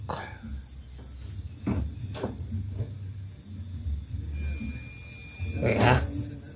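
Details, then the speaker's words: TCL CRT TV powering on with a thin steady high-pitched squeal, screen dark, dim indicator; B+ normal; fault in 3.9V zener diode and flyback. "Sepertinya TV sudah menyala tapi masih gelap, seperti itu. Dan terdengar suara melengking."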